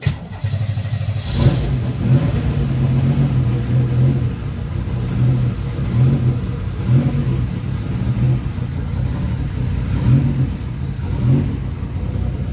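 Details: Pontiac Fiero 3.8L turbo, first start after fitting a fourth MAF sensor (earlier ones were killed by a faulty alternator): engine catches, with clean throttle blips rising and falling over a steady idle. Sounds healthy.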